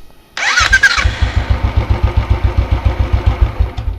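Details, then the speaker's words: Royal Enfield at 22,992 km after one-way (self starter) bearing replacement for slipping: starter whirs briefly, engine catches cleanly and settles into an even thumping idle about 220 beats a minute, no clunk; smooth electric start. "और एक बार last में दिखा रहा हूँ आपको start करके कितना smoothly start होगा।"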